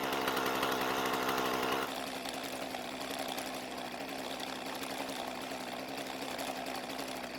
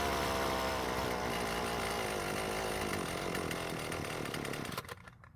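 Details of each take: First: Husqvarna two-stroke trimmer with a new aftermarket carburetor: sharp, even buzz at wide open throttle dropping cleanly to a steady, smooth idle with no stumbling; starts and runs healthy. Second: Husqvarna string trimmer with its cleaned original carburetor: starts easily and buzzes steadily, then sags and sputters out within seconds. Fuel starvation stall.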